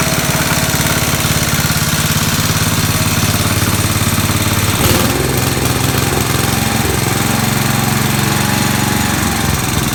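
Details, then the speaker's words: 1969 Locke reel mower, long stored in a barn, after carburetor work: small single-cylinder engine chugs at a steady fast pace, beat wavering briefly midway; runs pretty good but still needs fine tuning, slightly uneven running. "okay after messing with the carburetor i got it running pretty good not 100 gotta fine tune it a little more"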